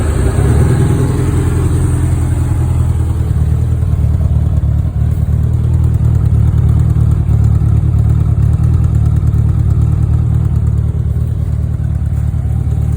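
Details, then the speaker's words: 1984 Honda Goldwing 1200, warm, after setting all carburetor float heights and new fuel pump: low smooth even idle, no stumbling or surging; no longer dumping fuel, idling perfectly. "I set all the float Heights and now it runs awesome um it's no longer dumping fuel it's idling perfectly"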